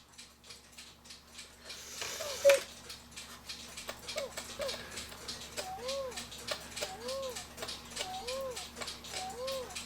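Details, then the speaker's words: E. Schmeckenbecher cuckoo clock after movement cleaning: steady ticking, then a thin, breathy two-note cuckoo. The leather bellows are sound but their top weights are too light; the fix is adding a coin of weight to each bellows. "sounds sick looks like you didn't have enough weight but just to show you the Bellows do work they don't have enough weight on them which is odd"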